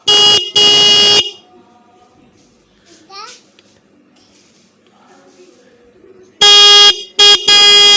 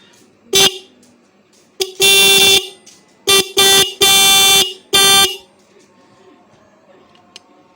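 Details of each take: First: Bike/car horn after readjusting adjuster screw: clean, steady blasts, two short then a longer set, firm even pitch, no rattle; properly adjusted. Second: Bike/car horn after overtightening the adjustment screw: short, harsh, buzzy blasts, some cut off abruptly; fix is loosening the screw gradually while testing.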